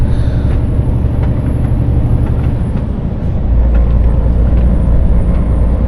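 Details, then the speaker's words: Steady deep low drone in a loaded lorry cab while cruising, heading for Spain, no knocking; driver wants it looked at, cause unknown; retarder is also noticeably weak. "man, this droning, yeah, this needs to get looked at as well, because it's going to drive me up a bloody wall, this thing."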